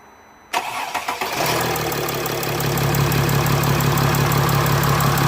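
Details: Mercedes ML320 CDI after turbo actuator fault repair with original actuator refitted: a few cranking turns, clean catch, then smooth steady diesel idle with no misses or rattles; actuator heard adjusting, fault fixed, healthy start.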